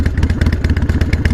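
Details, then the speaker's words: Harley-Davidson Sportster 48 viewed for purchase: loping V-twin idle with an uneven metallic clatter on each beat; rattle at idle, source unknown, possibly a loose exhaust. Cause suspected, not confirmed. "sounds like flanking i mean it's a really cool look let me make sure that's not just like a loose exhaust"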